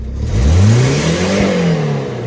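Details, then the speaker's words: Normal revving after exhaust work, a broken sensor refitted just to plug its hole: the engine climbs smoothly and eases back, deep and even with no ticking or blowing exhaust leak, quieter than before; it still smokes a lot and the oil is overfull. "That's a little better. A little bit quieter. Sounds like a car now. Instead of um whatever it sounded like before."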